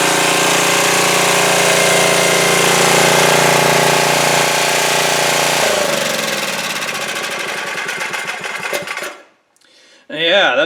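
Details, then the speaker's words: 2002 Coleman Powermate 5500 generator after carburetor cleaning, with a broken motor mount noted: it starts easily at full run and holds a steady, even drone with no knocks or surging, then winds down. "very easily I had it on immediately put it to full run and it ran great so that's pretty nice that's very very nice"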